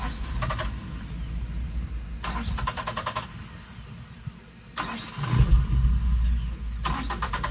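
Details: 1996 Suzuki Every van after fuel pump replacement, fuel pressure believed present, choke applied: starter cranking bursts catch briefly and die between tries; engine won't keep running, and the tank turned out to have no gas.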